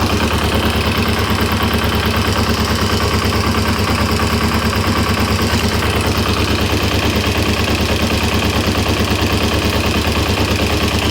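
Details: 1994 Kawasaki Ninja 250 (ZZR250), long-stored: regular knock about twice a second at low idle rpm that disappears when the clutch is pulled; owner suspects clutch basket, cause unconfirmed.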